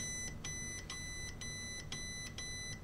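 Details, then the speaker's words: Xbox that powers off and back on by itself; power button tested on meter continuity at its motherboard connector (pin 1 ground, pin 2 button): clean unbroken beep, no crackle when wiggled, normal switch continuity. "hopefully you can hear that beeping. And I'm not picking up any scratchiness from it, which would be an indicator there's something wrong with the button."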